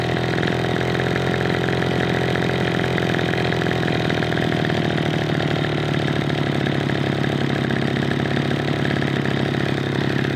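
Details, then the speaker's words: Echo PB-210e two-stroke leaf blower after spark plug connector repair and carburetor high and idle mixture screw adjustment: high, buzzy idle holding a steady pitch with no surging or stumbling; normal idle. "There we go. All right, I feel pretty good about that. That's running really well."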